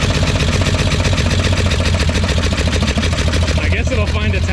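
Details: Long-sitting Green Hornet four-cylinder car, first run after sitting outside, throwing crud everywhere: fast, even light tapping over a lumpy idle, described as tappy; noisy lifters suspected, not confirmed.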